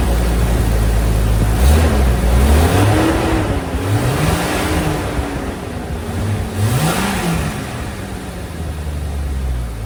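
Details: Jeep Cherokee XJ after installing a 1-inch PQY throttle body spacer: fires and settles into a steady idle, then revs rise and fall smoothly with no knocks or misses; healthy.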